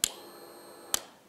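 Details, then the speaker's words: Suzuki GSX-R1000 no-start troubleshooting after replacing a blown starter fuse, starter wire disconnected: two crisp clicks about a second apart with no cranking; the starter relay engages normally as the test light lights. "So, we're going to watch here if it lights up the test light on that yellow wire and then you're going to hear it actually engage the starter relay."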